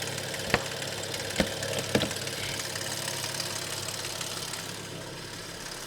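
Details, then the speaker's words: Audi S6 after months parked, hot idle after a motorway run, full power but rattling, heard at traffic lights and inside only with window open; sharp metallic clicks over engine hum, seeming to come from the front; source unconfirmed. "Aber hört ihr das Geklapper? Oh Mann, oh Mann. Ich habe das so an der Ampel gehört."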